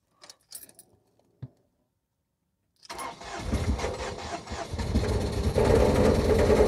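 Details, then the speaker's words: Ford Mondeo Mk3 1.8 petrol Zetec, first start in neutral, check engine light on, codes P0300, P0301, P0304: brief cranking then lumpy, uneven stumbling run with poor throttle response; misfire. "okay well it has started doesn't sound too good does it well we have a check engine light there which is no surprise not a lot of response in the throttle down there"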